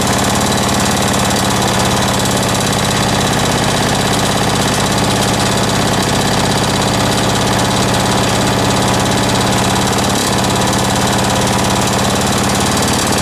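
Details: Small two-stroke lawn mower engine after rebuild with home-made big-end bearing shell: loud steady buzz with ragged hunting note and odd catches, running erratically; owner hears a leak somewhere, cause unconfirmed.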